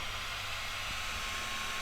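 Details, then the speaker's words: Ram Raider RC car cooling fan after switch cleaner sprayed in: steady airy whir with faint constant high tone, no rattle or scraping; fan now spins freely to the end and turns off normally. "Oh, that sounds a lot better. And it actually spins and turns off now."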